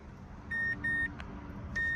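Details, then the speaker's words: 2012 Mazdaspeed 3 with heavy DIY spliced wiring, crank no start, ignition on: two pairs of steady high beeps about a second apart over cabin hiss, the no-key-recognized warning with theft mode active; fuel pump heard running. "It appears that we have a no key recognized warning."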